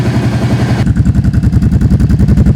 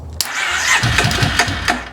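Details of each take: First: 2005 Kawasaki Prairie 700 ATV's first start after years sitting, following a rebuild with new clutch and jet kits: after 30 seconds to a minute of cranking it runs with an even, steady thump and crisp throttle response; running normally, jetting appears right. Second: 2005 Kawasaki Prairie 700 ATV, first start after years stored in a barn, fresh fuel, new spark plug, choke on, battery charger connected: starter cranks, then a short ragged burst fires about a second and dies; nearly running.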